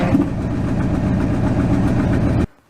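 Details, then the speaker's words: 1997 Ford F-Super Duty with a 7.5 L 460 and hydroboost brakes, idling with no power steering: low pulsing groan from a failing power steering pump when the brake pedal is pushed; slight exhaust leak and bad misfire also present. "this truck has a hydro boost push the brake pedal down you also hear the power steering pump"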